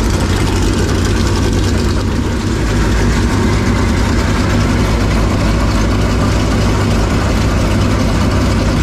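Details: Clements Racing super late model race engine after re-aligning the oil pump that shredded its belt and reducing belt tension: deep, steady V8 rumble holding an even idle with no knocks, slaps or belt squeal; running healthy.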